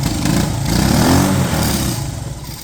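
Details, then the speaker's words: 1970 Honda US90 three-wheeler barn find, sat about 15 years, first start attempts with choke: it catches and revs unevenly, surging and sagging, as it clears out; owner thinks it was just a little flooded. "okay I just fired up more time here I think it was just a little flooded there"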